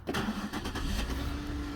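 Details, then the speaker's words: 2005 Buick LaCrosse with a no-crank no-start caused by a faulty ABS module (EBCM), after unplugging the module: engine cranks briefly, fires and runs steadily with an even note, no stumble. Normal start. "okay so that's good so when you unplug it the car starts"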